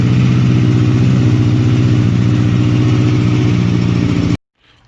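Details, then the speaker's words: 2007 Kawasaki Ninja ZX6R four-cylinder idling rough on only three cylinders, uneven lumpy beat said to sound like a 250 or 650, with lost power; one-cylinder misfire, suspected bad spark plug or coil pack. "my bike it's running on three cylinders and uh you can hear it sounds like a 250 or like a 650 like it has a different sound"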